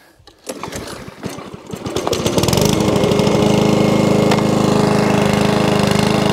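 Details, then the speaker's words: Mower started on carburettor spray with a poor pull cord; catches and settles into an even, steady beat that holds, normal running; may want a carb clean and good service. "so runs and wants to stay running too once a bit of a car break clean possibly and a good service"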